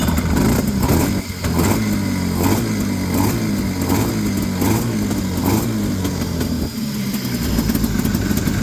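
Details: Vintage two-stroke snowmobile just freed up, reassembled and leak fixed: buzzy note rising and falling with throttle blips, picking up cleanly without bogging; running right.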